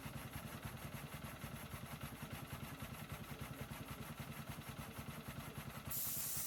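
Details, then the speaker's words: New MaxAir gas-powered air compressor after cutting out at 150 PSI: steady, even engine beat at unloaded idle with no knock or strain, then a hiss of air being let out; normal unloaded idle. "You just saw it cycle down there, so it's idling now because it's at the 150 mark of PSI there, as you can see there in the camera there."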